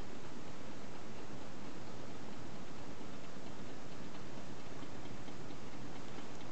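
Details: Homemade tin-can Stirling engine running with water on top and around the sides for cooling: faint, light steady ticking over soft hiss; probably slight play in the linkage.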